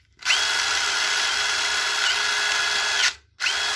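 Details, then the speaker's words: 2019 DeWalt DCF887 brushless impact driver, salvaged from the junk pile with a slightly wobbly chuck and a dead LED. At full trigger the motor gives a high whir with an intermittent purr, stopping and restarting, and loses power; the cause is not yet identified. "That's a realistic power. Losing power when it's in full."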